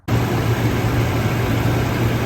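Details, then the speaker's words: 2007-2013 Toyota Tundra right after serpentine belt replacement (Dayco belt) to cure a chirp that was worse when cold: engine fires into steady low hum with no chirp or squeal; normal idle, cold-start check still pending. "Everything's back in place. No chirping yet."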